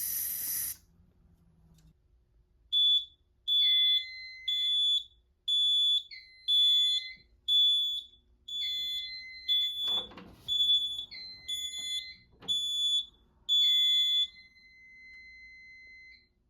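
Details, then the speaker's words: Notifier NFS-320C fire alarm panel in a test demo, CO sensor triggered with a magnet and sprayed carbon monoxide: repeating high electronic chime, one short multi-note phrase per second, the carbon monoxide alarm signal. "To test these sensors, we need to disable certain algorithms so they activate quicker. So first we hold the magnet for just a second, and then we spray some carbon monoxide."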